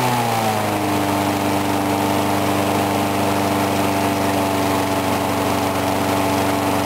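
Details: Briggs & Stratton single-cylinder mower engine cold-started at 35°F after long sitting, water suspected in the gas; started first pull. Settles within a second into steady even buzz, no surging or stumbling; normal steady running.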